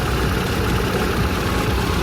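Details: Kia Visto (Hyundai Atoz) whose power steering whined with fluid below minimum, now topped up: steady, even low rumble with no knocks, whine or stumble. Healthy normal idle; steering rack seal kit replacement planned.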